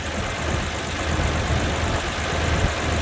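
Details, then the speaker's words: 1967 Rambler 199 straight-six after new exhaust manifold gaskets, heat valve fix, new intake/exhaust spacer and donut gaskets: smooth, quiet, even idle at about 650 rpm, fan louder than engine, no ticking or exhaust puffing; normal idle. "And if you notice, listen how quiet it is now compared to before. The only thing you can hear is the fan."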